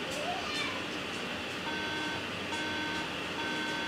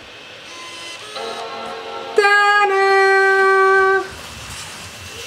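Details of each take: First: MacBook that shut down after a screen glitch on low battery now beeps three times repeatedly at power-on and won't turn on: three even half-second beeps, memory warning; fixed by reseating the RAM. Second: MacBook that shut down after a screen glitch on low battery and beeped three times without booting, after putting the two removed parts back in: single clear ringing startup chime for about two seconds; it turns back on normally, fixed.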